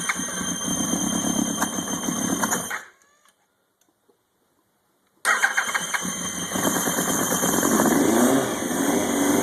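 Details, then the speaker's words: 2000 Yamaha YZF-R1 first start after engine rebuild: lumpy, uneven idle with a steady high-pitched screech over it, stalls then restarts; cylinder one not firing, suspected no spark; dead cylinder misfire, squeal source unknown. "yep cylinder one is not firing at all so I think I'll diagnose that first"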